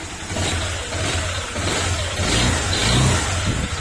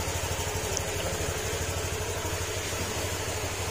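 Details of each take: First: Honda Click 125 scooter engine before overhaul, revved in surges; dull knock that quickens and gets louder with throttle, following acceleration; connecting rod knock, fix is replacing whole crankshaft and block set. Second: Honda Click 125 scooter after overhaul, fresh oil and coolant, first start; smooth even idle, steady low putter, former ting-tong knocking gone; normal idle, break-in still needed.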